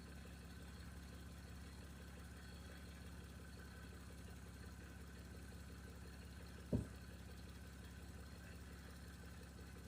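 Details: 1989 Toyota Cressida that sat for years, just revived: low steady idle with an even beat, no knocks or misses, quiet background; brief startup smoke cleared. Normal idle.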